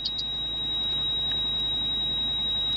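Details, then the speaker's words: High steady electronic tone in a quiet cabin of a 170-series Toyota Crown Majesta (1UZ-FE V8) during scan-tool diagnosis, ABS warning buzzer with ABS and brake lights on; low ABS accumulator pressure. "the noise is the beeping so I'm dealing with a beep for the ABS the whole time but I haven't turned it off because sometimes it goes away when um it faults"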